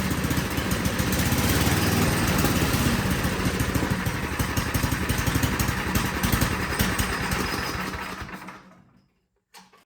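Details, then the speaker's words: Ariens snow blower with a Tecumseh engine runs with an uneven, hunting beat, then sags and dies instead of settling; it won't idle. "it starts it will run but it is not idling so we're going to pull off this shroud take a look at the carburetor"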